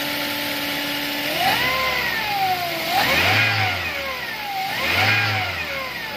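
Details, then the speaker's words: Toyota Avanza that stalled while driving, battery drained, revved: whining tone rising and falling with revs; alternator not charging, failed alternator diode. "pero maugong yung aking alternator maugong ang aking alternator"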